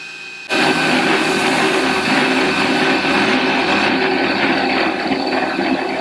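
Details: CNC1310 desktop router machining steel after encoders were added to its stepper motors to stop step-out, allowing higher cutting settings (Fusion360 CAM). Steady, even cutting hiss with a constant spindle tone and no stalls or chatter: normal steel cutting.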